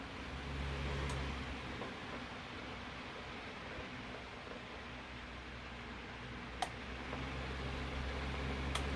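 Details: Room fan that took long to reach speed, after oiling front and rear motor bearings, capacitor also suspected; low even hum with soft steady whoosh, no scraping or labouring; up to speed and running normally.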